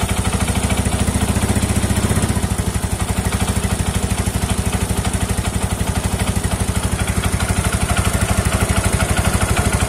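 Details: Yamaha Mio scooter brought in for CVT service, idling with a steady clattering rattle about two or three a second from the belt-drive side; looseness in the CVT suspected, cause not yet confirmed.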